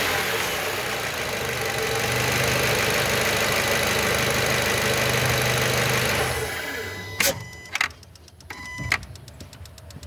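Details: 2012 Fluence engine revved: a rough mid-pitched rattle rises and falls with rpm, then it drops to idle with clicks; abnormal noise, cause undetermined.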